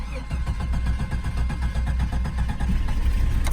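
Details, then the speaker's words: 1988 Jeep Wagoneer XJ: low uneven churning that catches only briefly and sounds fuel-starved; fuel pump is shot, priming just enough on key cycle to light the engine before it stalls. "we did try to crank it the fuel pump is shot it builds up just enough Prime when you cycle the key to sort of light the engine off but then it ends up stalling"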